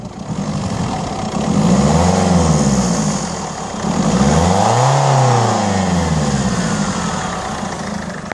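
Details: 2007 Peugeot 307 SW 1.6 HDi 90 with DPF: rough, buzzing lawnmower-like drone rising and falling with two rev blips; abnormal engine noise, cause unclear.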